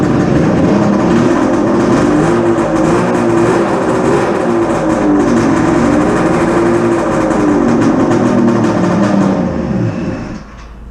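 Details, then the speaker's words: Polaris Ultra two-stroke triple during rebuild (center piston melted, ring came off; outer cylinders have good compression): loud uneven drone, wavers and stumbles before picking up when revved; running rich with aftermarket VeriFlow system disconnected. "Sometimes you might hear it sounds a little boggy until it revs up. And that's because I got the VeriFlow system unhooked, disconnected. It's an aftermarket system that's on it. So it's just running really rich right now, that's all."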